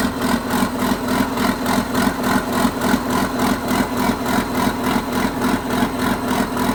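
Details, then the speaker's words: 1980s John Deere 790 excavator, 48,000 lb, diesel at low idle, not idled up: even, steady chug of about three and a half pulses a second with no knocks or misses, a normal healthy diesel idle. "it's not even idled up so no no i think it's a pretty good machine"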